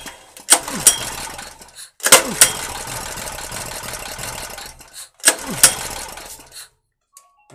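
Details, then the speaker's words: 2.5 kW peak Ress petrol generator after long storage, with a new carburetor fitted: pull-start gives three short sputtering bursts that die within a second or two; no start because the governor rod and spring linkage was binding. "Почему он не завелся, я сейчас объясню. Потому что, когда я его прикручивал , я не проверил стержень, а следовало бы, чтобы там была просто зацеплена пружина."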